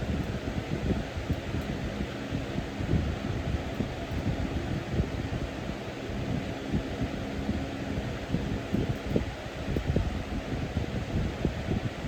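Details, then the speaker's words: Early-2000s Holmes box fan HABF-25 after restoration, grill scraping fixed by pushing motor mounts back: steady even rush of air with low hum, no scraping or ticking on high; normal running. "And high. Sounds magnificent on high."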